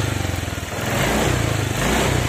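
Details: Honda Vario 125/150 scooter, spark plug never changed: snapping the throttle, revs stumble and pulse unevenly instead of rising cleanly; misfire (mbrebet) traced to a worn spark plug cap, not the throttle body.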